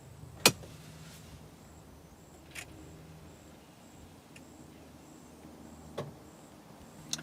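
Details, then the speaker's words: Polaris Ranger XP Kinetic electric side-by-side during its roughly 7-second computer boot: a quiet hum, then a distinct click/clunk from the rear as the transmission's electric system engages. Normal startup. "you hear that little clunk. When it gets to the end of the word Polaris, or near the end of the word Polaris, being running across the screen, you'll hear a little click coming from the back end, and that is the transmission's electric system, whatever's involved there, engaging."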